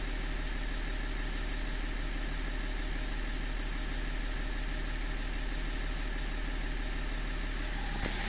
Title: rough idle e39